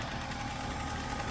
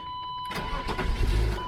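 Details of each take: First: 1996 BMW 328is E36 idling after the idle air control valve was cleaned and the throttle cable tightened to open the throttle plate slightly. An open air filter replaces the stock airbox. Steady, even low rumble with no hunting or stumbling; normal idle. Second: 1996 BMW 328is E36 restarted with a vacuum-leak boot still needing replacement. It cranks and catches, runs roughly for about a second, then dies leaving only the warning chime; it stalls after starting, still smoking, cause unknown.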